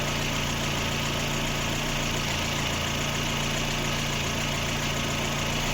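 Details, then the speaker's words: Lada Granta warmed up on petrol, near cooling-fan switch-on, with antifreeze starting to boil: even, steady idle with a constant low hum and no ticks, knocks or misses. The engine itself runs well, normal warm idle. "Це вже почти момент включения вентилятора. Двигун працює хорошо. Сечас зараз на бензині."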